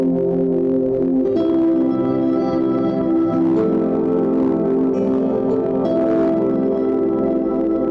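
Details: Sony PS4 CUH-1215A after damaged HDMI port repair: clean, steady startup tune plays through without dropouts or buzz; the console boots normally with working sound.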